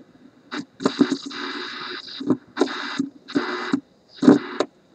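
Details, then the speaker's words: 1968 Ford Mustang Philco AM/FM radio (D3AA) on the bench, powered up for the first time after parts were reconnected, no antenna yet: choppy bursts of station sound and hiss; reception working. "that's the antenna well that sounds like a radio let me put a little piece of wire for an antenna on it and let's tune this guy"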